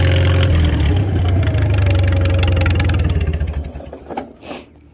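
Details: Farmall 300 Row Crop, 600-hour tractor, after exhaust manifold replacement (original rusted through) and clutch adjustment, camera on chest rig; low even thump about four beats a second, unlaboured, then winds down and stops cleanly; healthy.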